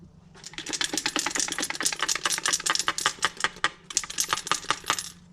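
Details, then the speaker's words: Removed rebuilt Wilson starter motor from a Merkur XR4Ti shaken by hand: sharp metallic rattling bursts from loose internal parts, something felt coming loose; it sounded bad driving on the road. "just just garbage i actually felt something come out of it that time just junk absolute chunk"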